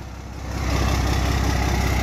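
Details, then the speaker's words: 12-valve Cummins dually, new fuel pump, original overflow valve refitted, exhaust backed outside: low steady diesel rumble builds to an even idle with regular firing and no stumble. Normal idle after the fix. "they replace that overflow valve with the one that was in it and it fired right up"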